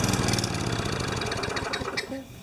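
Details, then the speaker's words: Craftsman 20-inch side-discharge mower, just washed: fires and runs roughly a couple of seconds, then sputters and stalls; carburetor cleaning suspected needed, not confirmed. "okay so it starts and stalls that's a card clean"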